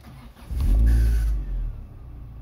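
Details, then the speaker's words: Citroën Xsara VTS Phase 2 after renovation, previously two engine warning lights, power loss and noise from a faulty damper pulley: starts instantly, quick rev then smooth even idle with no noise; healthy start. "a une voiture qui démarre au quart qui fait plus de bruit c'est magique"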